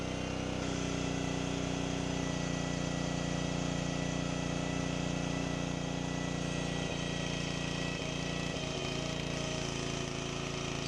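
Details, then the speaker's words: Rebuilt Honda log splitter engine, throttle linkage missing, idle screw replaced with longer screw to hold throttle open; steady low drone well below working speed, only about half throttle, ram slower. "So while putting that longer screw, replacing the regular idle screw with that longer screw just so I could get the throttle to stay open, it's still not, in my opinion, at the proper throttle because that ram is slower than I remember it."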